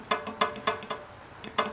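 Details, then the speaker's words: Steel saw blade plate tapped while sitting on four even shims: sharp metallic taps that ring out, with a dull clunk on one side; warped plate, demonstrated with tape mimicking the warp. "But you get over to here, and you can hear that tapping, that little clunk. That would be the sound a warped blade would make sitting on even shims."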